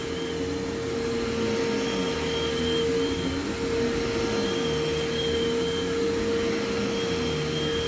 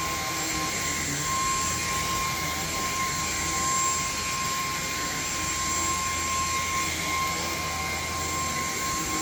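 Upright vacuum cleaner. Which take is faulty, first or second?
first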